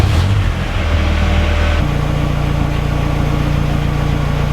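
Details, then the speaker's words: Ford Escort RS Cosworth that cut out once warm with its old crankshaft sensor; after fitting a Ford Focus crank sensor it starts and settles into a steady, even low idle with no misfire or stumble; normal idle so far. "right so the car starts let's leave it running and cross your fingers it doesn't cut out"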